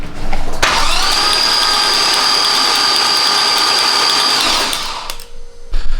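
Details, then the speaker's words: Skidvette car with low miles, suspected down one or two cylinders with oil found around the plugs: cranked with plugs removed and coils still connected, giving a fast, even starter whirr with a thin whine and no compression beats; nothing sprayed from the cylinders. "well i just reviewed that footage and uh in hindsight maybe i should have unplugged the coils too because they were just sparking all over the place but nothing came out of the cylinders"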